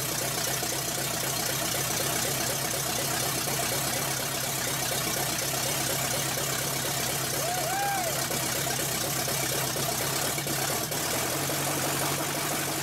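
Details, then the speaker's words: Chevrolet V8 with wrong plug wires and a spring-rigged partial choke idles rough with a ragged, uneven beat; owner suspects the timing is way too low and tries advancing the distributor, but a plug wire limits it. "Tim is way way too low so what we're going to have to do and see if we can advance it any further with the distributor"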